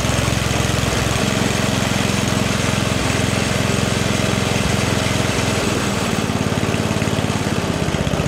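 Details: 44-year-old Toro 421 two-stage snowblower with a 4 HP Tecumseh engine, after a carb rebuild and tune and new fuel lines, on dirty oil, throttle slightly up: a loud, steady single-cylinder chug at constant speed with no misses or surging, so it is running.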